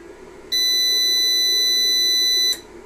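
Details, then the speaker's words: Trust UPS PW-4130M after fan replacement, powered on without AC mains: one steady high-pitched beep of about two seconds warning it is on battery; cell partly discharged. "I don't have it connected to AC so it's not too happy about that but and uh there has been some discharge of the cell"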